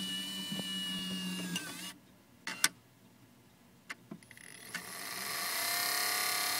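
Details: Wii optical drive running: a harsh, steady grinding buzz caused by the white plastic spindle rubbing the arm it spins on; the fix is shifting the spindle magnet via its two screws.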